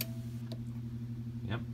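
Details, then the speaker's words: Mid-1950s Ilg Model 83 shutter fan, unused before, with a timer off-delay of about 15 minutes: a steady low fan hum with a single crisp click as the timer relay drops out; the pilot lamp stays on, normal switching. "see the relay dropped out, but the switch contacts itself turned this pilot lamp back on."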